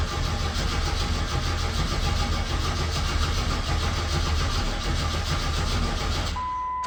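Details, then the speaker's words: Mazda B4000 with an LT1 5.7 swap that sat outside a long time, battery on a 40 A charger, fuel pump heard priming: strong, steady cranking for about six seconds with no fire. Gas is 3–4 years old. "Okay, well, cranks. Definitely cranks. Shit, the gas is probably 3 or 4 years old too."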